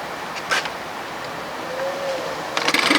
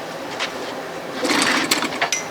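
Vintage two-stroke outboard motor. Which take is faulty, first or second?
second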